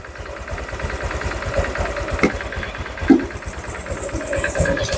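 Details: Honda Vario 150 scooter engine reassembled after overheating, fast coolant loss, oil loss and rough running; idling warm with thermostat open and coolant circulating, checked for leaks. Even steady putter, a few stray handling clicks; normal smooth idle.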